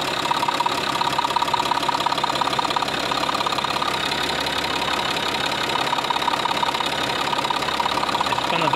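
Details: Scrapyard UHZ DT17TED4 diesel, freshly fitted to a Citroën C6, warming up at idle: a steady, crisp ticking about three per second over the clatter, a subtle knock from the injection side. Owner suspects a sticking injector; unconfirmed.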